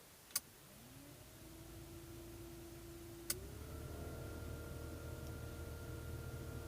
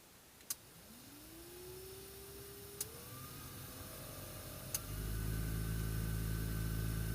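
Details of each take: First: VAZ 2109 heater blower after the owner cleared debris from the blower motor housing, which had caused a rustling noise: a switch clicks and the fan spins up to a smooth, steady hum, stepping to a higher speed. Normal operation. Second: Blower fan of a VAZ 2109 heater spins up with a rising hum to a steady drone with a faint rustle; debris and dirt found inside the fan housing, whose cover appears glued on.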